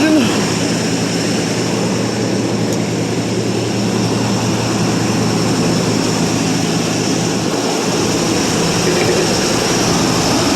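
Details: 1984 Chevrolet Suburban 4x4 V8, cold start after about 3 years sitting: a loud, steady drone holding an even idle with no knocks, ticks or stumbles. Running well despite the long storage.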